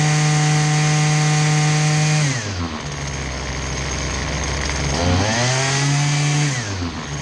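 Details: Husqvarna 223L string trimmer after a Zama carburetor rebuild (RB-69 kit), started unchoked on residual fuel: steady high buzz, revs drop and climb back smoothly with no sputter or bog. Running properly.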